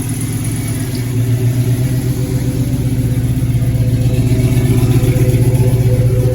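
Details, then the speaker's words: 1968 Chevelle wagon with LS engine, newly fitted Holley Terminator X Max EFI, first fire-up after TPS reset: deep, even V8 burble about four beats a second settling smoothly; normal idle. "Yeah, buddy. Listen to that. Just like that. Wow. Holley really does make it that easy, guys. No joke."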